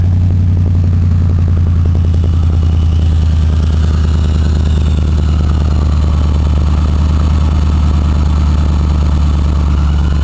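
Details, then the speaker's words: Cold petrol engine just started after a hard cold start with warm batteries, fresh gas and ether, idling smoky with a deep even rumble; the front ticking noise is gone for now, possibly only temporarily. "Well, maybe it's only a temporary thing, but I don't hear that ticking noise up front anymore. That's a good thing."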